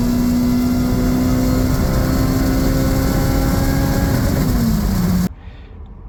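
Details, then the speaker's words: JRSC-supercharged Del Sol, freshly retuned, held near its 8,000 rpm limiter, logging 16.1 psi at 8,100 rpm: high steady howl, then revs drop cleanly, no belt squeal or chirp; belts not slipping, drive healthy. "At 8,100 RPM, we're making 16.1 lbs of boost, which is pretty good. And we can see nice linear flat line. Belts were not slipping, which is extremely impressive."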